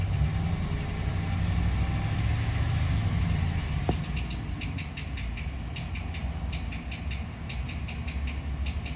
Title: 2014 ram 1500 with 5.7 L. ￼what is making this noise?